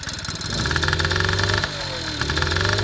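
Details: 1983 Honda Express two-stroke scooter, cold after a week unused, carburetor cleaned, reed valve due for replacement: uneven loping burble with wavering beat and low idle speed, not yet warmed up.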